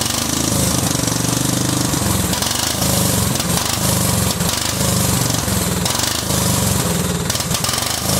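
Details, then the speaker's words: Cub Cadet 2130 lawn tractor, just started: harsh, uneven chatter with the beat hunting and dropping out; fuel system full of water and rust, owner suspects water in the carb bowl, plans to drain it. "let's see if we can drain this bowl over here and get some of the crap out of it I think that's probably why it's running like crap is because I think there's probably water down in the bowl"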